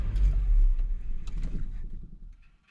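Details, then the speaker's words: 1987 Mazda B2200 5-speed truck after carburetor replacement, warm after a drive: engine rumble dies away within a couple of seconds at switch-off, no dieseling or run-on as with the old carburetor; clean shutdown. "it doesn't diesel own anymore it was doing that with the old one it would keep running it would and that would finally shut off"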